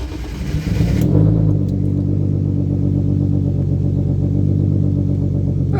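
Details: Turbo M50 in an E36 drift car with Bosch Green Giant injectors and Link ECU, started cold: cranks and catches after a second, then a lumpy, uneven low idle; rough cold start because the tune is set for max throttle, not cold starts.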